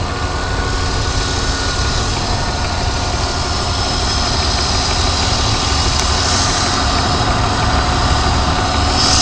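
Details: BMW 323Ci, 22X,XXX+ miles: faint steady whine over a rough idle rumble, also present when revving and driving. At idle it stops when the clutch is pushed in; the transmission clanks on gear changes. Recent onset, cause unknown.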